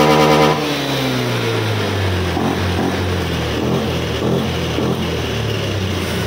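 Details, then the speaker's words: Honda Scoopy (2020 onward) scooter, previously sputtering and refusing to go, after repair: engine revs up cleanly and drops back smoothly without stumbles; now very responsive, normal revving. "ini udah sangat responsif ya"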